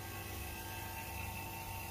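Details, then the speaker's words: Good A/C vacuum pump hooked to the low and high sides, shown after a bad pump whose motor failed and pulled no vacuum: steady hum with a fine even whir and no rattle; running normally and pulling vacuum down. "so let me show you how a good pump works all right so we got the the good pump running you can also hear that it sounds like it's running"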